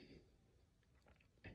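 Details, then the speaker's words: 75-inch Samsung QN75LS03 Frame TV with no power from a bad secondary power supply: quiet room, then sharp relay clicks from the One Connect box as it repeatedly power cycles. "and after a few seconds it turns back off okay it just turned off or power cycled I should say and I can hear the one connect uh clicking right now"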